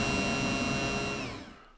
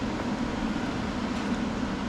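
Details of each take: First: Yamaha F-115 Showa tilt/trim unit on the bench, wired to a battery after new seals, caps and tilt piston: the pump motor whines steadily then winds down, spinning freely but moving no rams; owner suspects a worn pump diaphragm. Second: Yamaha F-115 outboard Showa tilt and trim unit after seal replacement and new pump, bench-tested on power leads with ATF fill: kicks in after three seconds with steady even high whine, no surging or grinding; normal pump operation.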